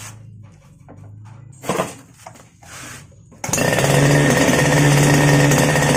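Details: Two-stroke grass cutter that previously would not start, running after its carburetor was cleaned: after some handling noise it fires and holds a steady, crisp buzz without stumbling; now running properly.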